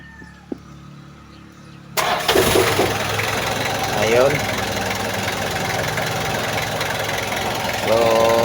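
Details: Kia Bongo diesel, restart test after fixing hard starting and white smoke on first morning start: after a quiet spell it cranks, catches straight away and settles into even idle, no hesitation or misfire; normal start.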